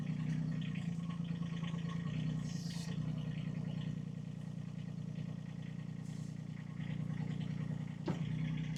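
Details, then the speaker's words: IRE20 Chinese mini excavator running after draining overfilled hydraulic fluid to the correct sight-glass level: steady diesel hum, even pulse, bucket moving smoothly with no strain or groaning; sounds a lot better than when overfilled; normal hydraulic operation. "that was nice and smooth. Oh, that sounded better. A lot better, too."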